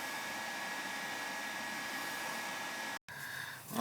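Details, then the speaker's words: Gas furnace that was not heating, with the thermostat wires jumped out: the burner fires and the blower runs in a steady, even rush with a faint tone; normal operation, thermostat to be replaced. "let's jump these two out and see if the heat comes on should yeah she's gonna start she's gonna fire up"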